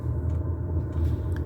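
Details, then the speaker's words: Diesel air heater heating a house, first start this year on a cold autumn day: steady low roar from burner and fan with pump ticking, and a slight kerosene burn-off smell at the exhaust. Ticking over nicely, running normally. "Yeah, that's ticking over nicely. Oh yeah, that's beautiful. That's just what we want."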